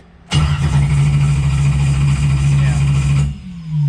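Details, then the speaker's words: 1995 Camaro with a naturally aspirated LS 6.0 (BTR Stage 5 cam, PRC 220cc heads) after a race: steady starter churn for about three seconds, cranks but never fires. Tach shows zero RPM signal, later traced to a blown ignition fuse. "I think that just saves a thousand initial reset and that's shown zero so we definitely have something that's not triggering something"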